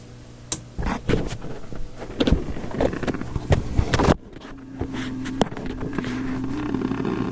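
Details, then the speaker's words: Philips Sonate BA581A vacuum tube radio: random sharp crackles and pops over low hum, then faint wavering tone, with nothing touched; sounds like a failing component, not confirmed. "so okay so all that noise you heard i sat perfectly still and touched nothing and just listened along with you it's pretty interesting stuff ain't it has that failing component sound to it"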